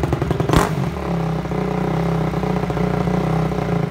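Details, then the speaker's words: Honda CRF250 just reassembled, riding at steady throttle: a sharp backfire pop in the exhaust, then the single stumbles raggedly and dies while on the gas; cause unknown, rider lost. "I was on the gas the whole time and just shut off and died so and then you also heard that backfire or backfire the pop and I'm honestly lost with it"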